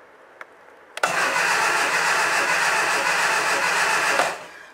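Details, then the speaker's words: Second-hand Triumph Dolomite 1300 engine just fitted to a Gentry MG TF Replica, cranked with the HT lead off the coil to build oil pressure before first start: even starter churning about three seconds at steady speed, no firing; turns freely, normal. "So I'm now at the stage where I'm going to spin the engine over with the HT lead disconnected from the coil."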